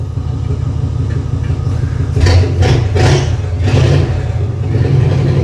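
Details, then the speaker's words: 1950 Ford with custom EFI (still needing tuning), after new spark plugs and a fabricated throttle pedal replacing the old rod linkage: steady idle snapping through quick clean revs and dropping straight back; throttle response instant. "Okay, so immediate thoughts are this is way better throttle response. Before I was trying to push that rod and that all that bracketry and everything, and this is just so smooth."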